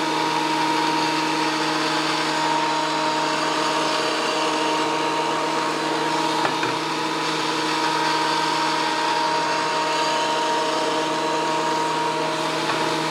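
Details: WEN PL1326 15-amp 13-inch spiral benchtop thickness planer after repair of damage from misuse, feeding a small board: steady even cutter whine with constant hum, no knocks or chatter; cutting cleanly again.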